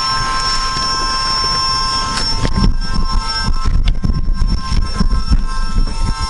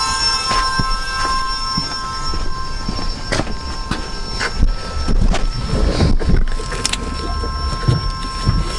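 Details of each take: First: AWD CB7 Honda Accord fitted with a Volvo electric power steering pump, after fixing its leak with no leaks showing: a steady high whine from the pump over a low rumble and a few knocks. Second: AWD Honda Accord CB7 fitted with Volvo electric power steering pump, after replacing a leaking hose: steady even high whine, no surging or grinding; pump running normally, no leaks.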